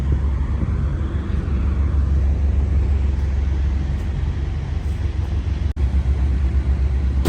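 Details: 1955 Chevrolet Bel Air, 350 crate V8, 700R4 automatic, restored 6–8 years ago: steady low burble at idle, even rhythm with no knocks or misses; running smoothly.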